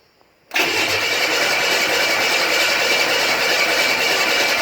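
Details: Buick Grand National on E85 with SD2 chip, no mass airflow sensor, TPS set to 0.42, 80 psi oil pressure built: steady fast cranking with no catch or firing; cranks but won't start, no spark suspected, not confirmed.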